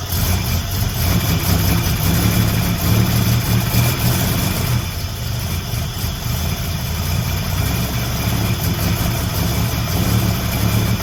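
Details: Buick Grand National with rebuilt 140 block and fresh cam, just after its first start: steady, even low idle with a smooth rumble and no knocks or ticks; cooling system not yet fitted, so only a short run; sounds healthy.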